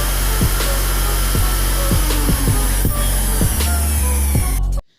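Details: Mixer grinder after bush replacement and reassembly, tested: motor hums steadily at full speed, smooth and even, with music over it; the earlier excessive noise is fixed.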